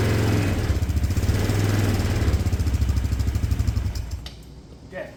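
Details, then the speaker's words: 250cc auction go-kart, idle screw being adjusted, airbox off; small single sputters at a slow uneven idle of about four beats per second and nearly dies; idle likely set too low and the vacuum-slide carb is sensitive without the airbox. "it runs sounds good we're cutting out a little bit there but I don't have the airbox on and these carbs the way they work with the vacuum slide in there they're pretty sensitive to air pressure"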